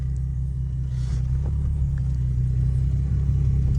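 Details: 2009 Nissan 350Z, rebuilt ex-takeover car, on a drive: steady low road rumble while cruising, with no roar or screech rising with speed; front hub sounds healthy, no wheel bearing noise.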